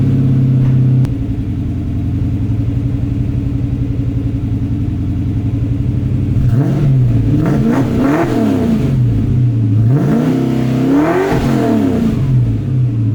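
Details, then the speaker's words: 1994 Mustang GT V8 with new Pypes SFM29V stainless catback replacing droning Flowmaster Super 44s, heard 8-10 feet away: deep, lumpy idle then two quick blips rising and falling cleanly, no rattle or drone; healthy, aggressive exhaust. "It's time to get inside the car and fire it up, see what it sounds like. You're 8 to 10 feet away, and so you're gonna get the full blast, I guess."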